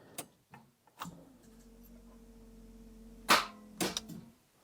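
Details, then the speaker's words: Daimler Double Six (Jaguar XJ12) V12 that arrived with no start and had not been charging, battery jumped, in park: single sharp clicks with faint hum, no cranking; sounds like the starter is trying, starter connections or stuck starter suspected. "That's all you need. But we're in park and you see that's it. Just a little click. It's actually odd. It really sounds like the starter is trying."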